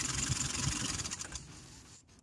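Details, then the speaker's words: Car engine running after steering pump repair, with an even hum and no squeal or grinding from the pump; the pump had made noises on restarting after a roadside stop; normal running. "halimiz hasna gayet güzel bir şekilde çalışıyor Böylece direksiyon pompasını yapmış olduk Herhangi bir sıkıntı gözükmüyor"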